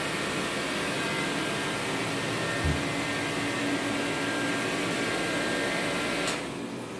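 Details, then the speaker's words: Reddy Heater Pro 150, after nozzle cleaning and fuel line replacement, is plugged in and reset: only steady fan rush, no burner roar, then the motor stops after six seconds as it trips the reset. It fails to light, before the nozzle change. "So I plug it up, push the reset, kicks on, but it's not starting"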